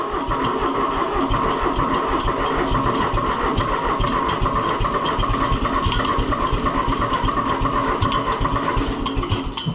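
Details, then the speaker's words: Another Fiat tractor started cold: labored, uneven slow cranking with a sagging, near-dead spot before it stumbles into running and sounds tired; owner suspects the starter is giving up. "Oh, boy. That starter may be giving up on us. It has a It has a place in it that sounds like it's dead almost."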